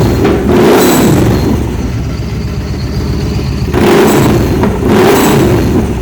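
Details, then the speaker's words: 2013 Victory Cross Country supercharged V-twin, running after new plugs, coil and a temporary front plug wire: sharp throttle blips followed by crackling exhaust pops and flames on overrun. The owner suspects a blown muffler baffle; the smoke is PB Blaster burning off the exhaust. "a couple of flame pops for you now if you can see that smoke right there that's one of the PB Blaster on the exhaust don't worry about that"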